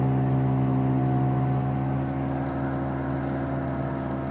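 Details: 2003 Honda Civic driving: steady low whir under road noise that gets louder and faster with road speed regardless of gear; cause unknown.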